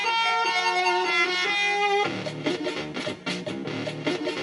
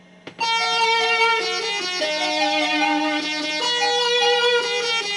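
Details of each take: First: Commodore 64 playing a game with its SID chip marked bad after glitchy diagnostics: chiptune plays cleanly but the bass line sits a little quiet and audio is slightly poppy; workable but imperfect SID. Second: Commodore 64 machine #2, bad PLA previously fixed, playing Donkey Kong: clean, steady chiptune with bright square tones and even level, no buzz, crackle or dropouts; SID sound chip output normal.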